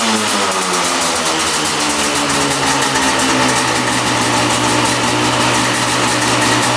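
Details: 1995 Yamaha Banshee 350 two-stroke twin, revived after 18 years in a barn, after idle adjustment with air screws at 1.5 turns on each carb: crisp, steady, even idle with no hunting or stumbling. Idling perfectly.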